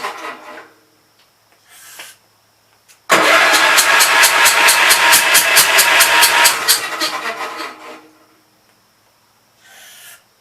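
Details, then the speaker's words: Gravely Pro 12 tractor, remote air cleaner left open (owner suspects water got in): spins fast and even about five seconds, never catches, firing back out the intake; no compression from stuck intake valve. "SOUNDS LIKE IT'S GOT A STUCK VALVE. YEAH, I'M PRETTY SURE THE INTAKE VALVE STUCK. It's firing back out the intake."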